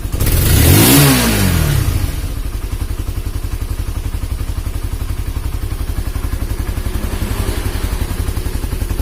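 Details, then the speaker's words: Honda CB150R after a head compression leak into the radiator coolant was fixed and the engine rebuilt and refitted. One throttle blip, then a steady, even idle at about four pulses a second with no knocks or rattles. It runs normally. "hai oke Alhamdulillah sudah halus untuk suara mesin memang motor ini itu banyak sekali kendalanya"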